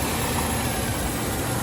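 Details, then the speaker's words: 1995 Range Rover Classic, 4.2 V8, after replacing the ignition coil, distributor cap and rotor arm: it starts instantly without hesitation and settles into an even, rumbling idle with no misses. This fixed the earlier no-start. "Wow. I hope it doesn't die on me, but that sounds sounds really good."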